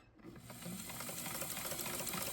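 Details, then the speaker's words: White model 1563 sewing machine after oiling and cleaning out rust, dirt and aged oil with fine steel wool: quiet, even whirring with light rapid ticking and no knocking; runs smoothly and sounds healthy. "So, it's already not sound like a knocking noise anymore. So, it might actually be related to this being cleaned out."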